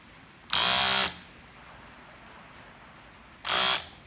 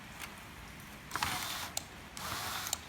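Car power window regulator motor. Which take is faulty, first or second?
first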